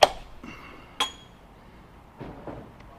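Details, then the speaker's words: Machining O-ring boss ports/weld-on hydraulic bungs; sharp irregular metallic ticks about a second apart over quiet spindle as tool catches part set off-center, re-indicated, was 0.002 in off on readout. Interrupted cut from off-center part. "it's wanting to hit a little bit dang it where's it that let me go ahead and re indicate that cuz I don't I can hear it you can hear it hitting"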